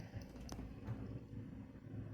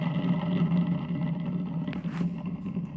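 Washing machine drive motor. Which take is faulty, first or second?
second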